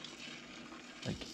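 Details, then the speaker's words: Philips HiFi Automatic 406 turntable with Grace F9 cartridge, after slow-delayed start: steady scratchy hiss and crackle, no music; stylus rubbing on record, owner suspects needle problem plus grounding issue. "absolutely rubbing against the record"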